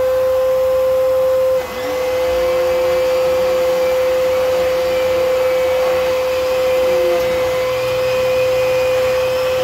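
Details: Old Kenmore vacuum running on floor then brush setting, performance indicator still green: loud, steady, piercing whine at one pitch over the motor roar; high-pitched whine, possibly an airflow blockage.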